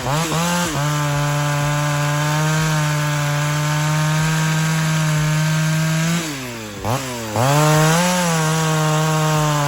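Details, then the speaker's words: Ported Pioneer 3270 chainsaw, final testing after porting work: steady high scream held at full throttle through wood, brief dip and recovery, pulling strongly; normal full-throttle cut, though porting worsened existing vibration. "so there you go there's the Pioneer 3270 in its Curt setup I might give it another test run or two but honestly I think this is about as good as I can get it"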